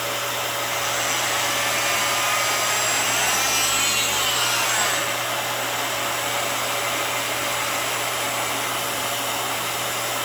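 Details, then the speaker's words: Dyson City DC26 Multi-Floor vacuum, used machine on first run: smooth, steady high-pitched whoosh with constant motor hum, no rattles or pitch wander; motor sounds perfect and healthy, suction good. "You know, the machine runs great. The motor sounds perfect. It sounds very healthy."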